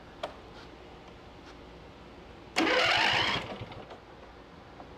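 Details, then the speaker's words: Free riding lawn mower tractor after a valve adjustment, with the battery hooked up by jumper cables: quiet, then the small engine catches and fires in a short sharp burst. A normal start. "all right that's the difference that a valve adjustment makes and it's just hooked up with jumper cables back here"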